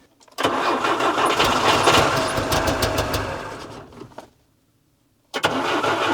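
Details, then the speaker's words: Żuk engine, first start after machine-shop repair of cylinder 4 exhaust valve seat: catches, runs lumpy with a stumbling beat, dies and restarts; missing on at least one cylinder, suspected ignition-related, improves with distributor position. "still not running on all but I think it's ignition related this one"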